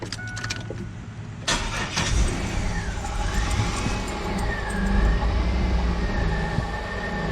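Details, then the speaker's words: 4th-gen Camaro V6 after its misfire was fixed (broken spark plug): short crank, quick clean catch, then a steady, even idle with no stumble or miss. "and look at that perfectly not a single problem um Idol's fine Idol's good"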